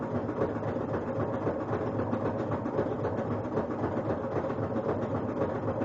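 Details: Kenmore front-load washer during spin cycle: steady roar with a rhythmic thump about four per second, as if hitting something or a belt touching; no foreign objects found, cycle completes; cause unclear.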